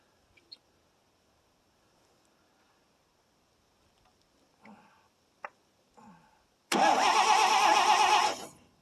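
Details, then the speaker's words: 1957 International S120 4x4 pickup after about four years sitting: pause, then about two seconds of steady cranking that never catches; faint, weak spark, owner suspects points or coil; crank no start. "so it's got weak spark it still won't run uh yeah she's not happy our spark is not good"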